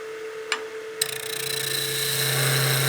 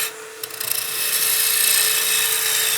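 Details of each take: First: Wood lathe turning a maple baseball bat blank: steady hum with coarse rasping buzz during each cut, stopping between passes; the thinning workpiece is chattering and needs light hand support behind it to stop the vibration. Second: Maple baseball bat blank being roughed on a lathe, lightly supported by hand: an even scraping cut over a steady lathe hum with no chatter, cutting easier and with less vibration.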